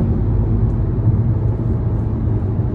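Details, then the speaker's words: Hyundai engine with low compression, saved after about an hour's labor, on a highway road test: still smoking a little but pulls strongly, steady deep drone with no misses or knocks; healthy engine under road load. "oh yeah she she can get up and go she's running real good"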